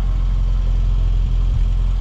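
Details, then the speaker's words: Friend's newly delivered car, started with jump leads after a flat battery: deep, even idle rumble with no misses, surges or knocks; running smoothly and sweetly. "we're just gonna let it run for a bit um seems to be running quite smoothly more smooth than Barbara was but yeah Barbara's shaking um yeah all good yeah so it's running quite sweet now as you can hear"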